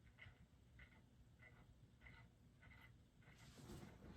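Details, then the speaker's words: Early-1980s Magic Heat ceiling fan with weak Westinghouse motor, plastic flywheel and balsa blades: faint rhythmic scraping ticks about 1.5 per second, once per turn, over low hum. Loose hex nuts had let the housing rotate; owner suspects the fan hangs crooked, arms not bent. "Yeah, I really do not know why it's making so much noise. I don't have a whole lot of time to really troubleshoot, you know."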